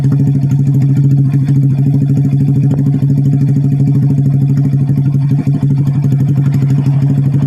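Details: Vega R single-cylinder motorcycle engine, bored up with an oversize 450 Kawasaki Kaze piston after smoking and rough running, with the exhaust refitted: steady, low, even putter with no knocks or misses, a healthy, smooth idle.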